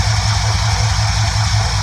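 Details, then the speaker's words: 1971 Ford F100 302 small-block V8 after carburetor mixture tuning: deep, steady, even idle rumble with no misses or stumbles; running smooth again, normal idle. "engine is running nice and smooth once again"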